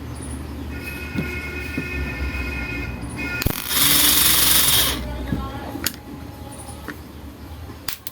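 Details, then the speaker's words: Splendor motorcycle self-starter motor on bench after opening and greasing to cure harsh noise: short, smooth, even whir without grinding or scraping; earlier noise gone, slight remaining sound expected to fade as grease spreads. "चाहूंगा तो ल लग इसकी जो आवाज था friend पहले वाला बिल्कुल ही बंद हो चुका है फ्रेंड"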